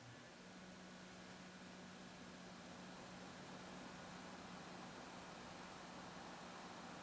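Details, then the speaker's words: SilverStone Tundra TD02-LITE AIO liquid CPU cooler pump, rated 1200 ±200 rpm, 12 V, 280 mA: faint steady low hum with soft airy whirr, no whine or rattle; pump running quietly and normally. "very quiet."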